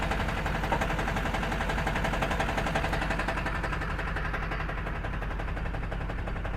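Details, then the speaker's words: 2005 Duramax with an Allison 1000 transmission at 299K miles, idling in drive, neutral and reverse: a fast rattling clatter of about three knocks a second from the bellhousing area, caused by a cracked flexplate slopping around. "Okay, that's in drive, neutral, reverse. Yeah, that doesn't sound so good."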